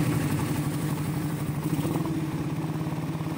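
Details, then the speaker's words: Suzuki Raider 150 that would not start after an engine refresh, now repaired and running. A soft, even putter of about three beats a second with no knocks or clatter; a very quiet, healthy idle. "Tahimik na tahimik yan, no? Ayan, bumatay na mante."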